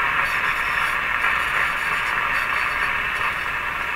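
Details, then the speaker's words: RCA Victor A23 tube radio on the 9/11/15 MHz shortwave band after antenna coil repair: only steady hiss, no station or voice anywhere; receiver out of alignment, otherwise working. "It's unaligned, remember? Nobody home there."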